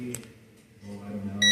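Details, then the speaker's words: Multimeter calibration and continuity check while repairing a dryer that overheats and keeps blowing thermal fuses. The probes are touched together and should read zero. A sudden steady high beep in a quiet room: the meter responds normally. "Once you touch once you touch these two props together, it should reach zero."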